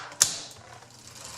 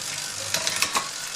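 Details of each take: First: Dry, worn bicycle chain under pedaling: hissing rattle, borderline squealy on some links under load, noisier in cross-chained gear, costing at least 5 watts; looks lubricated but running dry. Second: Bicycle with a new chain after a 100-mile ride, replacing a dry, noisy old chain: a steady hissing chain whir with a quick cluster of light clicks as the shift snaps through crisply and faster, with less noise.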